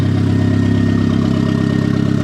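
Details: First start of a turbo Miata build with brand-new bearings, good AFR and good oil pressure: a steady high-pitched hum over an even, lumpy idle; the source is unknown and the owner suspects the turbo.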